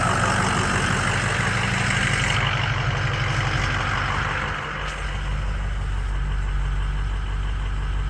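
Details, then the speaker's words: Ford 6.0 Powerstroke diesel after the fuel leak was fixed. Steady, even diesel clatter with no stumbling, ICP about 900 psi, IPR 30% at idle: a healthy normal idle. "there you go she's running took a few times cranking it just to uh probably get the air out of the fuel system but now she's cranked up and she's running"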